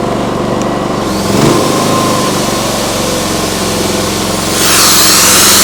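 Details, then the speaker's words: Briggs & Stratton P3000 PowerSmart generator after fuel pump replacement and tune-up (no-start from old stale gas), on premium non-ethanol fuel: even hum picking up speed smoothly as a plugged-in power tool whirs on; carries load fine, fuel shutoff later found leaking. "Well, that sounds really nice. Just make sure there's no leaks by the carburetor or anything. Go find a power tool to plug into there."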